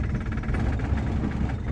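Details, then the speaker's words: Vintage car with spark plugs in for several months: low uneven idle rumble with strong vibration, idle dropped lower; rough idle, owner suspects dirty spark plugs and plans to clean them. "Malakas, guys, ang vibration niya, kaya rough idle siya, guys."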